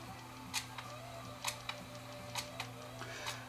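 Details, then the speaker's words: Sony WM-D3 recording Walkman cassette player that runs fast: sharp regular tick about once a second over a low steady hum during playback, more faults than just speed. "What's that ticking sound I hear? You hear that ticking sound in the background?"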